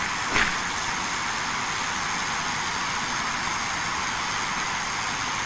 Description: Hissing sound of Transmission Lines, corona sound.